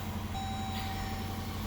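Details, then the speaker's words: 2014 Jeep Grand Cherokee after fixing click/no-crank by reseating starter plug-in wire connector (owner believes corroded from moisture): starts, steady even idle with faint whine, no misses or clicking; normal idle. "right now this wire is good let me try to start now okay that's it as you see it starts"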